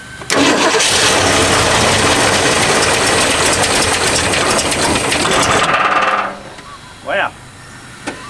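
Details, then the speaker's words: Long-neglected 1969 Mustang coupe, fuel tank line disconnected due to water in tank, two-stroke mix squirted into carburetor vent: catches almost at once and holds a loud even roar about six seconds before cutting out; starts and runs on primed fuel. "wants to live generally okay well this is an easy one must be a Ford thing well she wants to live that's for sure"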